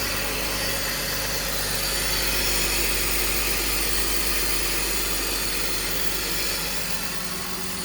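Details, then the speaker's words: BMW 325i E46 idling after replacing vacuum hoses, boots and DISA valve O-ring for P0174 intake leak; constant airy hiss over the engine, owner suspects leak still at DISA valve and may need to re-oil the O-ring. "so sounds like there is a leak coming from this disavow still so I may need to take it back apart and oil up a ring some more"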